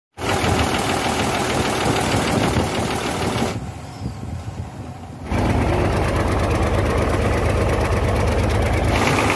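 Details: Hino truck with J08C diesel engine runs with a loud, uneven chuffing knock, about three to four beats a second, plus smoke; diesel blow-by (back compression) that began after the engine first overheated.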